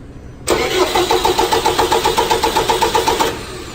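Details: 4.4 common-rail engine disabled from starting, cranked during a negative battery cable voltage drop test, reading comfortably low: even, steady, unlabored cranking, about four compression pulses a second for three seconds, then cuts off; healthy starter.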